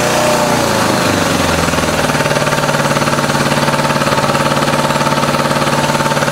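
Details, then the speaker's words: 1986 Honda Goldwing GL1200 SE-I fuel-injected, first start after electric fuel pump fitted: lumpy, loping idle, not a smooth four-cylinder hum; two pipes cold, running on two cylinders; stuck injector suspected, not confirmed. "it sounds like it's not hitting on all those cylinders when it's running maybe it's a stuck injector"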